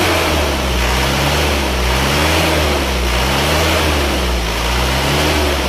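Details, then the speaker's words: Isuzu Panther diesel after repair of heavy blow-by (cylinder 4 liner top collapsed and was flipped, new piston rings replacing broken ones), at 71°: even, steady low beat with no knocks or misses; normal running. "suaranya mesinnya suaranya empuk ya tidak shalat tidak ada suara kerang-kerang"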